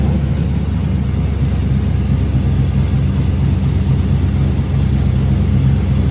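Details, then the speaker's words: LS-swapped 1954 Chevy Bel Air V8, long-sitting, after attention to number one cylinder's dirty plug: even deep rumble with no stumble or skipped beat, sounds much better; smooth running engine. "That sounds so much better."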